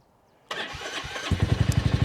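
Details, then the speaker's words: Royal Enfield Classic 350 that was weak to start after sitting over winter, with a new battery fitted that wasn't charged beforehand: half a second of starter whir, then the single catches into a steady, even idle thump. "Oh, it does. So new battery."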